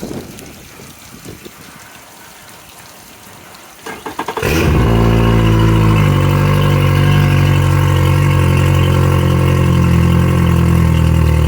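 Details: 2021 Yamaha F70 70 hp four-stroke tiller outboard, about 128–129 hours, on bench test after new ECM, harness, starter, PTT relay, oil, filters and spark plugs: quiet, brief crank, catches cleanly and settles into a steady, even idle; healthy.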